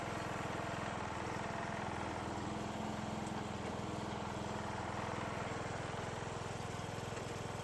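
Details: John Deere riding mower after years of storage, which stopped while cranking, running after valve lash adjustment, carburetor bowl filled via fuel line, starter jumped: single cylinder at steady idle, even beat about three per second, no knocking; normal.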